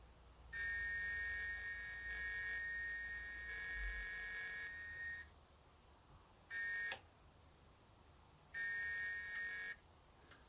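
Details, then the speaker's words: 1968 BSA Bantam ignition timing set at 16 degrees before TDC: high steady buzz from a timing buzzer sounds in spells and cuts out as the points cam plate is slowly turned, silence marking the points opening. "so with this in we want it to just stop making that noise that's it that's it off so i just want to slowly adjust"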